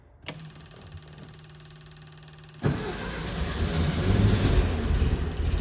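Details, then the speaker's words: VW Bug that would not start after hydrolock: two seconds of steady cranking, then it catches cleanly and runs strong and even; the no-start was caused by flipped spark plug wires, now corrected. "Look at that. And it runs. It was literally the spark plug wires."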